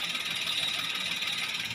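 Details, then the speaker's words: Toyota Agya/Daihatsu Ayla 1000cc at idle: steady high-pitched whirring rasp from worn clutch release bearing, first mistaken for water pump; noise stops when clutch lever is pulled, suggests clutch disc getting thin. "Ya, jadi penyebab bunyinya di sini, teman-teman. Di bagian bearing kopling."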